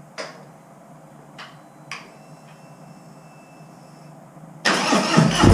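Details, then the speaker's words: Harley-Davidson Street Glide M8, stage one tune and intake, first start just after fitting Vance and Hines Titan oversized 450 exhaust, engine cold and left to warm up: a few clicks, then it catches at once with a deep rumble; normal cold start. "All right, first start with the new exhaust. We're gonna let it warm up too,"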